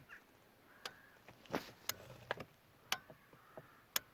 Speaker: relay clicking so it's just as arena we know that it's all okay in the wiring